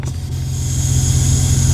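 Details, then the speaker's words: 2001 Jeep Grand Cherokee WJ, heard at brake pedal in cab, engine idling, spongy brakes: steady high sucking hiss growing as pedal is pushed and released; vacuum leak through torn brake booster boot, booster to be replaced. "you hear that sucking sound? That's coming from right up here. And you can see the boot on my brake booster is actually broken, and you can hear the vacuum leak coming out of it."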